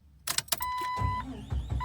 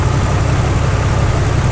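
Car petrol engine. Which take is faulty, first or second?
first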